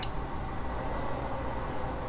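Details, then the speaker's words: Icom IC-7300 transceiver keyed at full power into a dummy load: the stock cooling fan gives a steady, rushing whoosh with a low hum that ramps up quickly, loud for the unit, before swapping in a quieter fan. "but if i say if we have the power all the way up the um there's a constant noise from the fan that ramps up quickly"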